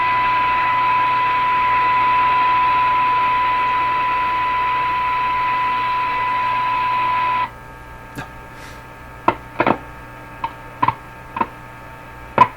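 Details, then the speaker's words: Canadian Crosley 12B radio initial checkout on shortwave with signal generator near 8 MHz: steady test tone drops to faint hiss with crackles and pops; intermittent fault suspected in tuning capacitor plates or shaft, hum also audible. "So clearly the problem with the tuning, the intermittent problem, the plates intermeshing or the rounding shaft thing or whatever it is really throwing this radio for a loop on shortwave."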